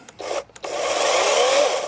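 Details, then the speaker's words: New Greenworks 40V 16-inch battery chainsaw on a 2Ah battery, bar oil filled, blade guard off, first test run unloaded: brief whirring rasp spinning up and down, no rattle or binding; normal free run. "oh yeah all right so it sounds like we're good we're gonna give it a try"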